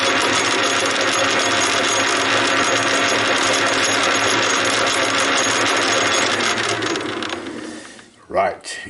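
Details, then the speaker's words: Homemade gear cut on a shaper for a lathe spindle, one or two teeth slightly oversized and binding, retested after filing: fast, uneven gear-mesh rattle that then winds down; still rattling, so more filing is needed. "still rattling a bit so i gonna continue give it a little bit a touch with a file here and there and we will get somewhere i think"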